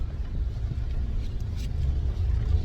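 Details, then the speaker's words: 2008 Toyota Tacoma pulling away with a newly installed Walker Quiet Flow stainless muffler: deep, even low rumble, no rasp, drone or rattle. Quiet, healthy exhaust, a big difference from the previous muffler. "Wow, big difference. This Walker muffler really made a big difference."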